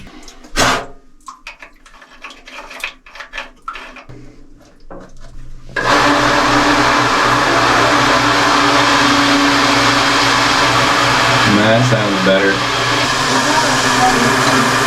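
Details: Home well jet pump restarted after no-water failure, primed by filling the pump and line with water: handling clatter, then a steady even whir that briefly dips and settles; running normally after priming, though a small leak appeared.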